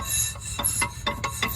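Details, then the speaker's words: 1998 Buick Park Avenue, passenger rear wheel off with the rotor turning during a hub/wheel bearing replacement: rough metallic scrapes in short bursts, about five in under two seconds; owner suspects the metal brake clips are touching the disc, not confirmed. "boy a't supposed to sound like that that's no good I don't like that noise"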